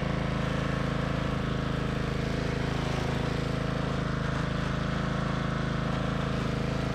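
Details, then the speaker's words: MTD Yard Machines 638 RL riding mower after fix (gas tank drained, fuel line and fuel filter replaced, carburetor cleaned, new air filter and blades): steady even single-cylinder beat, no surging or stumbling, holding speed under load; running properly. "मुझे आखिरकार यह सही चल रहा है, मैं इस machine से गुजरा, गैस टैंक को खाली कर दिया, इसे बदल दिया, ईंधन लाइन बदल दी"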